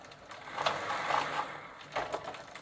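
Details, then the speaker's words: 1990 Gazelle bicycle, Sturmey-Archer AB 3-speed hub, WD40 added to soften old lithium grease, bench test shifted into third gear, which previously didn't work; light irregular ticks from rear hub; pawls now clicking, pedaling feels slightly heavier. "now i'm moving to the third gear position and now i can hear some of the falls making a clicking sound"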